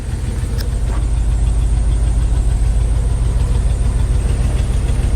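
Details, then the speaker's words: Squarebody Chevy V8 on a four-barrel carburetor after fitting used parts, possibly bumped timing: deep, even idle rumble with a steady beat, no more popping; normal idle, though fuel filter plugged and muffler possibly collapsed. "I think it's definitely better no more popping"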